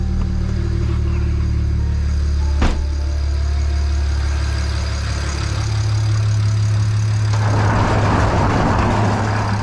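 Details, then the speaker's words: BMW N54 engine after installing injectors and coding, errors cleared (earlier misfire on cylinders six and four, possibly residual fuel): deep, even idle with steady low hum, no stumble or skip; normal idle. "clear the errors and see if they come back all right yeah it looks like it's idling perfectly fine now"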